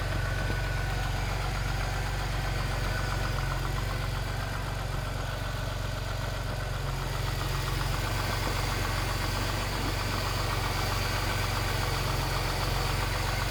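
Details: Jaguar S-Type 3.0 idling: fast, regular rattling clatter at about four per second over the engine hum; cause was a loose timing chain.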